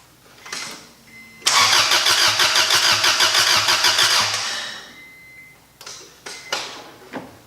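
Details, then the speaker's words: Rebuilt Honda Accord (CD5) turbo engine, distributor unplugged, oil feed line in a bottle: steady starter churn about three turns a second, no firing; normal cranking to prime oil before first start. "I'm gonna go ahead and crank it over just so that we can get some oil flowing and we don't want to start to be dry"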